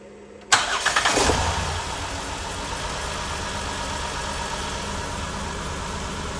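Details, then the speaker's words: 2011–2016 Chrysler Town & Country with P0300/P0306 codes, started to read misfire counts on the scan tool after a reported earlier spark plug and wire replacement; a starting burst then a rough, uneven, stumbling idle, with cylinder 6 the only one misfiring, from a failed ignition coil. "So yeah, cylinder number 6 is the only one with misfires."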